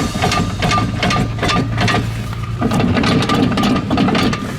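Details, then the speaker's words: RV travel trailer towing with rhythmic metallic clunking about twice a second matching wheel rotation, from a loose wheel hub nut; a sign to stop towing immediately. "First of all, if you ever hear your RV or travel trailer making a noise that sounds like this, yeah, that noise, stop whatever you're doing. Tow no further, because that noise is a very bad sign indeed."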